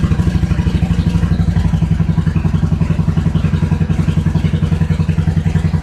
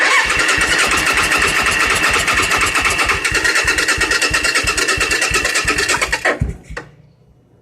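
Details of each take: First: 1986 Suzuki Intruder V-twin after cleaning threads, refitting the main jet and replacing leaking fuel hoses: deep, even thumping about three to four beats a second with no misses; idling cleanly. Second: 1986 Suzuki Intruder, clutch switch bypassed, a little throttle: even cranking about three beats a second with occasional pops, then dies; fires but won't catch; cylinders compressing and sparking, battery suspected too weak.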